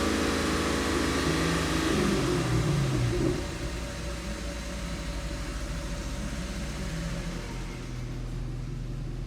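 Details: 2015 Chevrolet Camaro V6 that had a P0206 injector fault causing P0300 misfire, after repair: the engine drops from raised speed to a steady, even idle with no stumble or miss, and fuel trims look good.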